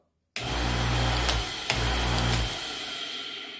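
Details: Washing machine motor, after reconnecting the start capacitor wire (a broken wire or burnt capacitor stops it starting): starts at once, hums steadily with an even low drone for about two seconds, then spins down cleanly; running normally.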